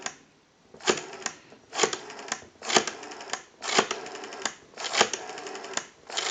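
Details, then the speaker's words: Western Electric 5302 rotary desk telephone, rotary dial oiled, cleaned and adjusted, final checkout on analyzer: crisp, evenly spaced click trains as each number returns; normal dial pulsing. "We want to walk through our numbers. If you watch the analyzer, you'll watch your numbers roll by."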